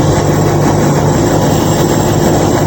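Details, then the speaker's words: 1953 Ford Customline with swapped 350 V8, running after new intake gasket and rocker adjustment: steady even idling lope with no knocks or misses, super smooth now; smoke is only oil spilled during adjusting. "That really helped. The smoke is cuz I got oil on it from adjusting it. though. This is like super duper smooth now."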